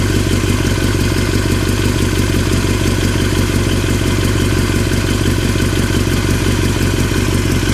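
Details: 2003 Yamaha R6 at constant engine speed, rattling since a recent trip to Europe: fast, even clatter over a low steady drone; owner unsure if normal or if performance is affected; engine rattle, source unknown.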